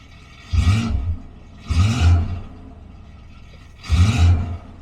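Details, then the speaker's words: 1972 Rover P6 3500 V8 automatic with the rear exhaust box removed (the old one had a hole): a deep, booming V8 rumble through three short throttle blips, far too loud and open from the missing rear muffler. "yeah I thought about straight piping it from there to the box but yeah you need that back Muffler that is loud"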